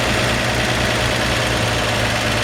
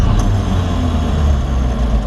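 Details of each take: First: 1954 Chevrolet 3100 5-window pickup, straight-six, cold and barely driven, on its automatic choke: a smooth, even, slightly fast idle with no knocks; the idle sits high until the engine warms, and the owner would turn it down a hair. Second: 1954 Chevrolet 3100 5-window pickup, 235 straight-six, possibly rebuilt, started with the foot-pedal starter: a deep, even rumble with no knocks or stumbles; normal, strong running.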